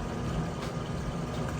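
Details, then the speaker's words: Crosley top-load center-agitator washer at the start of a regular cycle, warm/cold, super water level, clothes fully submerged: steady low sloshing churn with even water movement and no knocks or squeals. Normal agitation. "Doing a great job getting started there. So I'm gonna let it go ahead and move through this cycle."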